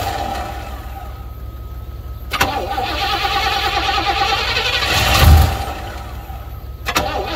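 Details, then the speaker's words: 1980 Pontiac Trans Am Turbo 301, first start after sitting about 18 years, running on fuel poured into the carburetor bowl: it cranks, catches and runs rough for a couple of seconds before dying. It clearly wants to run; normal first start. "well it certainly wants to run I play with the throttle a little bit inside it'll fire up I wonder if it just means a little bit more of a drink"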